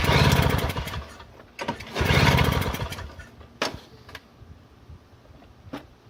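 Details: Free Toro CCR 2000 snowblower, thought to be from the 1990s, 2-stroke 4.5hp Suzuki with Mikuni carb, 50:1 mix: primed, choke out, two roughly one-second cranking bursts, never catches; cranks but won't start, smoke suggests spark, owner suspects flooding, fuel vent valve or key switch.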